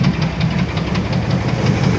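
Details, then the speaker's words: 1994 Chevrolet Astro van, idling: heavy, uneven low thumps a few times a second through the idle, same with belt on or off, so internal. Cause unconfirmed; won't drive it on the street. "I don't want to drive it with this noise like this I'll drive it around the property here around the farm but I got to figure out what this noise is and it does it with the belt on belt off doesn't matter"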